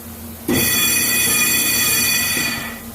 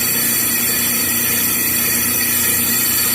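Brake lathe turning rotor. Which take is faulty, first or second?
first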